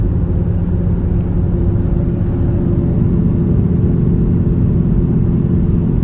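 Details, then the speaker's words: 2004 Buick Rendezvous at road speed: steady low droning wheel bearing growl, no ticking, constant under road noise; which wheel bearing is unknown, suspension otherwise quiet and riding smooth. "Other than that wheel bearing noise, I don't hear any suspension noise. It's riding smooth."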